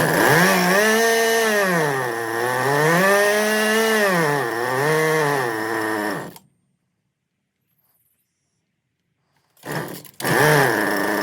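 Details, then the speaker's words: Husqvarna 125b two-stroke leaf blower held in a vise after fitting an aftermarket replacement carburetor, with the mixture screws about a quarter turn from closed; it revs up and down smoothly, stops and restarts promptly. Normal running. "Alright, so I got it running. Tuned it."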